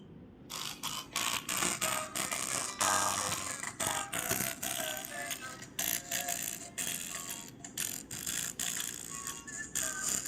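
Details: Lenovo ThinkPad T470s playing music through blown laptop speakers: thin, tinny, almost no bass, rattly harsh edge on loud notes, before replacing the speakers.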